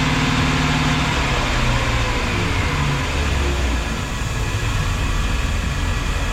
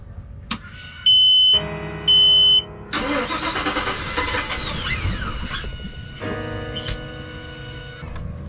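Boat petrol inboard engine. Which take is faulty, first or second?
second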